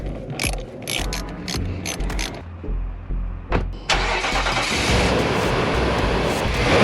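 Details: 2019 Nissan Titan V8: starter churns in uneven bursts for several seconds before the engine catches and runs rough. Hard starting; battery ruled out, code P0725 stored. Crankshaft or camshaft sensor suspected, fuel pump possible though it primes consistently. Unconfirmed.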